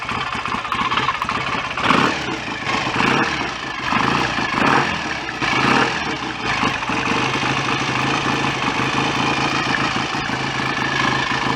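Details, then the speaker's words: BSA A65 twin after engine rebuild, head back on and ignition advanced via stator plate: steady, even, unhurried idle with no bottom-end knock or rattle; oil circulating, no smoke, far quieter mechanically than before the rebuild. "sounds all quite promising anyway um let's say mechanically it's a hell of a lot quieter than it was when it came here that's for sure so I'm happy with that"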